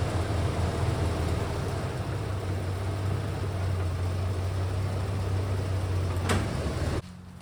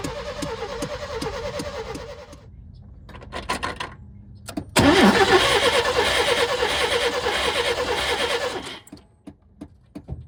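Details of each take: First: OBS Chevy truck now running after the no-spark problem was traced to the distributor; the owner blames a separate noise on the transfer case. A steady, even low idle with no misses, pops or backfires. It sounds healthy. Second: Old OBS Chevy truck after an oil change with 10W30 and a fresh fuel fill, primed and given starting fluid: starter cranks in steady even pulses, briefly tries to catch, never fires; no spark.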